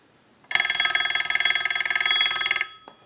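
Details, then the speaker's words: Western Electric 202 telephone bell box driven by an analyzer ring cycle: bright, fast metallic clatter of the bell striking about four times a second for two seconds, then stopping cleanly; ringer works properly. "we're gonna use the analyzer and we're gonna send a ring cycle so we'll go ahead and do that"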